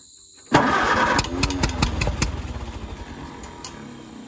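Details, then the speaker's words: Grandpa's old tractor after draining fuel with orange crud out, fuel valve back on, key on: starter churns about 2.5 turns per second with a few sharp pops, nearly catching. "it got definitely got a lot closer that time so i'm going to pull the fuel a little bit and there she is"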